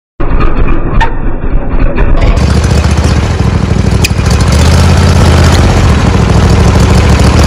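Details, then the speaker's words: John Deere D140 mower with Briggs & Stratton 22 hp Intek twin; runs rough with surging, hunting idle and odd sharp pops, backfiring through the carburetor; possible causes include carburetor, valves or intake gasket, fix not confirmed. "today I got this d140 John Deere 22 horsepower motor and uh it hunts that idle backfires to the carburetor"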